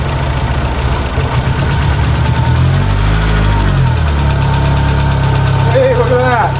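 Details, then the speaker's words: 1991 VW Mk1 Cabriolet Etienne Aigner edition, first key start after sitting; light rapid clatter over the idle, hydraulic lifters clacking badly, expected to quiet once oil pressure builds. "lifters were clacking really bad so hopefully once it gets some really good oil pressure that will figure itself out"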